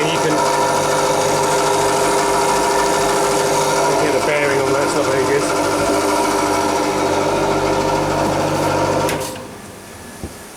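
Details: Refrigeration unit condenser fan motor, tank 2, runs with a rough, rhythmic whirring over its hum from a worn motor bearing; motor to be replaced.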